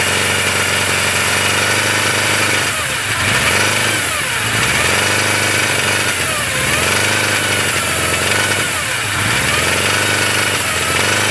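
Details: 1981 Suzuki GS850G four-cylinder idling and blipped with the cam chain tensioner installed incorrectly: high whine rising and falling with each blip, before the fix.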